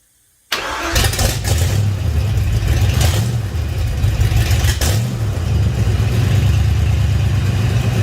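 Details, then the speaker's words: 1956 Ford F-100 swapped engine, first start on a temporarily wired ECU, no coolant yet: short crank, fires immediately, a couple of blips, then smooth even idle; some smoke from new paint; healthy start. "See how easy it starts and stops, or if it does or not. Here we go. Here's a runner."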